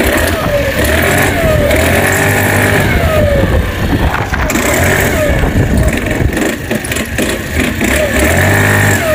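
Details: New-body fuel-injected Cappuccino 50 scooter, fault light staying on at start, engine smoking: uneven knocking rattle over idle and each throttle blip; mechanic suspects a loose part also causes the fault light; loose flywheel on a sunk key.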